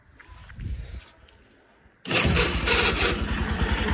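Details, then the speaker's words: Bajaj Pulsar NS200 on electric start: harsh uneven rattling clatter from the engine side as starter engages and engine catches; abnormal noise, cause unknown. "तो भाई अभी है ना अपनी bike में बहुत ही गंदा सा नॉइस आ रहा है इंजन की साइड।"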